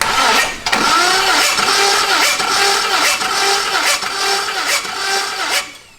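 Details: 5.3 LS-swapped Ford Ranger after cam install, during compression test with lifters not yet pumped up: starter churns steadily with soft, even compression pulses about once a second and never catches; low compression.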